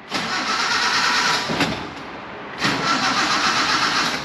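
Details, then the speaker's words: Mini truck that has been sitting, runs rich, spark plugs suspected: long, sluggish, hissy cranking that never catches. The battery is weak and will be charged or likely replaced. "all right guys we're going to charge battery a little bit here i mean we're probably just going to end up buying a new battery today as well"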